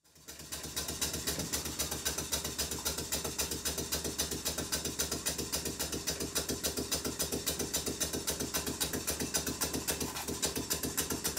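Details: Model steam engine running after reassembly: crisp, even chuffing at about 220 beats a minute, steady and unbroken throughout; running smoothly and healthy.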